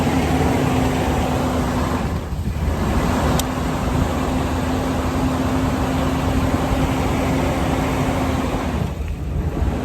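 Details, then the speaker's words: Van just jump-started after sitting over a year, 30° weather: steady mid-pitched whine over rough idle with wind noise; owner says alternator sounds not too great, cause not confirmed. "You can hear that the alternator is not too great either."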